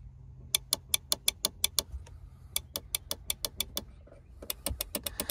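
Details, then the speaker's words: Volvo Penta SX-A power trim/tilt, trim button pressed: quick runs of sharp relay clicks near the fuse box with no motor hum after; power and relays work but the electric trim pump motor has failed. "relays are trying to you know to activate it feels like it's working because you can hear the movement and then the problem is that the the motor the electrical motor that drives those fluids there it's not working"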